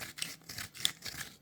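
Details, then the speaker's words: Convoy T6 flashlight after two weeks of carry: dry, gritty pepper-grinder scraping in the cap threads on each twist, with metal flakes or flaking coating seen in the threads. "Listen to that grind. That is like a pepper grinder."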